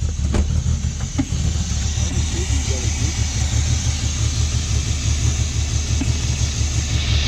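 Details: Engine-swapped BMW E30 cold start: catches slowly and rumbles unevenly with sharp early pops, likely coughing through the intake; owner suspects an intake air leak, unstable idle, black spark plugs, smoke near plugs, fine when warm.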